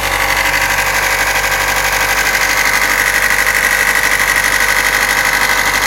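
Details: Corsa GSi idling with a raspy, rhythmic chatter about 1.5 times a second that comes and goes. Crank pulley, clutch and oil were already replaced and a flywheel-area leak fixed; owner wonders if it's the tensioner. Source undetermined.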